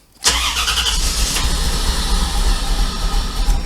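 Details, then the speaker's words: 1994 Corvette that ran well before Seafoam was added: ragged, uneven stumbling run that won't idle and dies on throttle, "choking for fuel" and sounding like a steam engine. Owner suspects the fuel filter and fears the Opti-Spark. "that's how it's running it's it's like it's choking for fuel and this thing was running great before I put the seafoam in"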